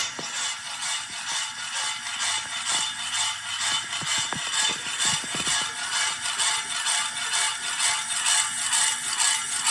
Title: Noisy Wobbly ceiling fan